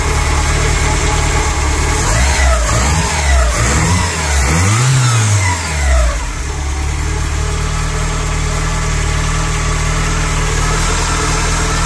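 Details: VW Polo Mk2 86C 1.0 petrol, just after timing belt and water pump replacement. A whine that rises and falls with revs over the idle. The timing belt was tensioned too tight and was later loosened.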